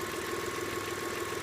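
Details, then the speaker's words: Idle after adding STP oil treatment and letting the car sit an hour or two: even soft steady hum, lifter tick gone; owner notes tick sometimes returns at startup. "left the car sit for probably like an hour or two and now you can hear that there's no more lifter ticket pretty much went away"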